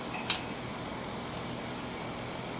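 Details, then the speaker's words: Premium "soft sound" line blower at full speed, about 825 rpm: steady, even rush of air with a soft low hum and no rubbing, ticking or wobble; blower running smoothly. "and yes that fan blade is turning its full speed I think these were 850 of 825 yeah 825 rpms so these this was the premium line and it was called soft sound if you hear that real close to it sounds pretty good"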